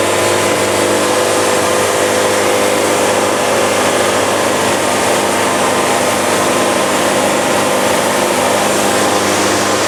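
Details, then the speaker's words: Bandsaw sawmill blade labouring through a log in a poorly executed cut: a steady, harsh grinding rasp that never eases off as the band fights the wood and grinds. "yeah this is painful you can hear the band fighting it even hear it grinding ah so this is the definition of a ugly ass cut"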